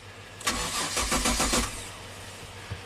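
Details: 2005 Kia Sorento 4x4, intermittent crank-no-start now permanent, fuel pump and crank sensor already replaced, dealer blamed the ECM. The starter spins at a normal, even pace without catching while grounds are tested during cranking.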